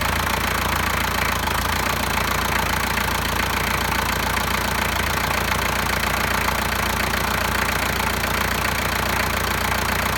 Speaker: Keys are out of the ignition and it won't shut off. What you have to do is come down to here, and when you push that forward, it shuts it off. Now the EDIC motor is supposed to do that on its own, but it's not doing that.